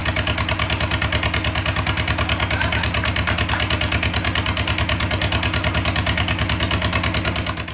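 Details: Beetle engine after fuel system redo and slight timing adjustment, fuel pump primed: even steady putter about three beats a second, crisp exhaust note, no knocks or misses; normal idle.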